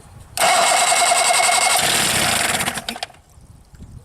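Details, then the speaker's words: Rebuilt 1963/64 Evinrude 40hp outboard, choked and out of gear with a rich fuel mix, catches on the first pull into a fast, even buzzing crackle and pees water; starts and runs normally. "Oh, it's running. Yeah, she's peeing water, good."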